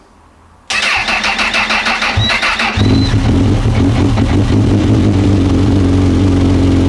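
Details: Honda CB1000R, fuel pump priming, pinched wire found: starter churns about two seconds then catches into a rough idle; hard starting for owner, MAP sensor vacuum pipe coming off suspected, unconfirmed.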